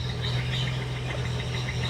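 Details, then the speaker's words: Restored Datsun Z idling shortly after first startup, with the complete exhaust system now installed: steady, even, quiet petrol hum with no misses or knocks, likened to an electric motor; normal idle, though the gauge showed no oil pressure. "So it really runs smooth. Sounds great. It sounds like an electric motor up here."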